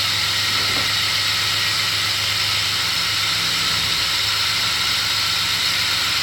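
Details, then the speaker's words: 2017 Toyota Tundra 4.6 L V8 1UR-FE with 75,000 miles, running; constant gritty hiss and grinding, louder on the passenger side, like a dry, worn serpentine belt tensioner pulley bearing. "I will say like a metal bearing grinding, but I will let you listen."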